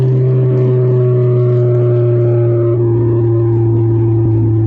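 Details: Nissan Sentra QR25 after fixing intake and vacuum leaks, new upstream B1S1 O2 sensor and new throttle body: smooth, even engine hum with a steady clean tone, no misses, stumbles or hissing; healthy.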